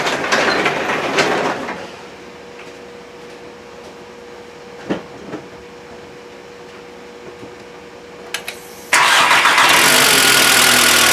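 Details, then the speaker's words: Volkswagen MKIV Jetta 2.0L just after head replacement, first start: quick even ticking about four times a second over the idle; new head's hydraulic lifters have no oil yet and should quiet once they fill. "You'll hear it's making a lot of noise when you first start it out. It sounds like death. What this is it's a new head. It has no oil in the lifters, and they're hydraulic lifters, so it takes a little while"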